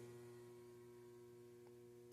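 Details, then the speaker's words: DIY 120 V one-to-one isolation transformer: at 103–105 V it draws about 3 A, core saturation, a loud steady fixed-pitch buzz; owner plans to add about 30 more turns. "I really wanted a transformer I could just plug into the wall, but it starts to get core saturation, drawing too much current."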